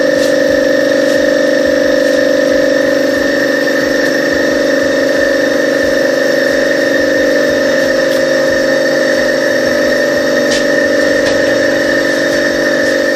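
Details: Copeland DKJ-75 refrigeration compressor test after repair (cylinders sleeved, valve plate and valves, connecting rods, piston rings, crankshaft ground), no-load current 0.8 A: under load a steady constant-pitch hum, no knocks or rattles; running normally.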